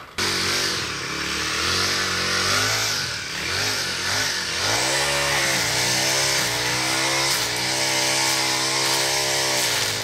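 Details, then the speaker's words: New Poulan Pro PP428S trimmer with PP5500P pole saw attachment, carburetor set too lean from factory: high raspy two-stroke whine surging and sagging with throttle, dying after a few seconds; owner suspects lean mixture, later adjusts high-speed jet. "for more than a few seconds it started to die so I'm assuming it's too lean"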